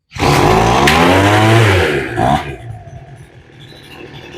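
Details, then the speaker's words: Two-stroke blower with freshly rebuilt carburettor, low-speed screw opened a further quarter turn: quick pull fires into a loud raspy roar then drops back; normal start, ready for mixture adjustment. "there you go and now she starts so now we're going to do let's start there and we'll try to keep her running long enough to to make adjustment"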